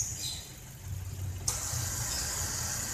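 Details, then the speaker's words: Car A/C compressor: it cuts in with a steady, even hiss over a low hum, no knocking or rattle; it now runs smooth and clean, which is normal. "Olinya udah halus ya. Udah halus suaranya nih udah."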